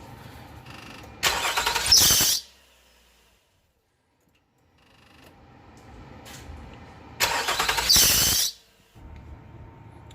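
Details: Nissan Murano/Quest 3.5L: sharp high squeal for about a second each time the engine starts, then fades; slipping accessory belt, both alternator/AC and power steering belts with a lot of play being replaced.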